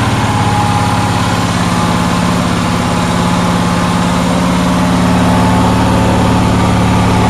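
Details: Onan generator in cold weather, with a steady, even drone at a fast, unchanging speed; outlets read 160–170 volts and the stator about 18 volts, so the owner suspects it idles much too fast and cannot turn it down.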